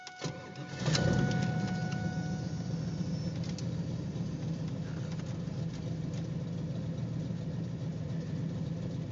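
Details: Cammed LT1 V8 lumpy idle with slight flutter from misfire; fuel pressure 41 psi at idle, 45 with regulator hose off, steady 16 inHg vacuum, new fuel and air filters, plugs look normal.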